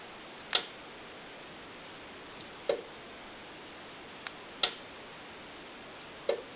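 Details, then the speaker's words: Stromberg Carlson wood wall telephone after repairing a broken coil solder trace and wire: sharp isolated clicks about every 1.5 seconds as the analyzer engages, showing the coils are fed with voltage; the repair is good. "every time you hear that click that's an indication that our coils are being fed with voltage and so we know that the repair is good"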